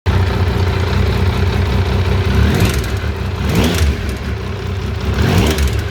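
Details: Triumph T595 Daytona: engine blips up and down with a clattery edge rising and falling with revs; abnormal, cause unclear.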